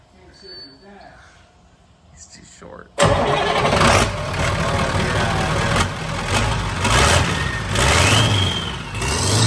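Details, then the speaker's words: Figure-8 race school bus diesel, start after fitting a new custom exhaust, before the power tune: cranks and catches, settles to a steady rumbling idle, expected more throaty, with a rising turbo whistle; healthy start and idle. "Dude, fire this thing up. Let's see how she sounds. I feel like it'll be a little more throaty sounding."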